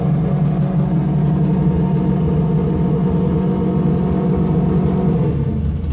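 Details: After a further mod to the primary circuit ended months of trouble, the engine holds steady around 3000 rpm with a deep, even drone and no stumbles or surging; throttle response improved, and it revs cleanly.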